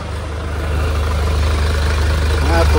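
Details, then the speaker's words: Hyundai Starex GRX diesel, run without the intercooler to check for leaks, primed then started: steady even low diesel idle with no knocks, misses or hunting. "Bam mo na yung prim start ah start na natin yunar oh umaandar na mga boss."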